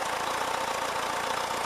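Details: 1979 VW Westfalia Bay Window camper, air-cooled engine idling, charging about 13 V; owner notes oil light stays on too long at startup and some oil on the fan, possibly a seal: even idle, steady fan whirr, no ticking; normal idle.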